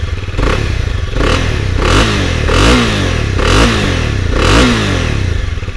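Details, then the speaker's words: Honda CB250R single-cylinder motorcycle blipped repeatedly: engine runs quietly, clean, even exhaust beat rising and falling with each rev; normal and healthy. "Gayet sessiz çalışıyor egzoz sesi ise tatmin edici diyebilirim"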